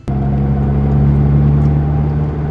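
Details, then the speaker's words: 2006 Mitsubishi Evo 9 MR with lightweight flywheel and hard rear diff and mustache-bar bushings, driven fast on the highway: steady low cabin drone with a constant tone; mechanic checked it, a healthy differential, normal whine. "not sure if you can hear it in the car but I thought it was a problem took it to the mechanic they bled it uh they stuck a camera in it it's a healthy differential"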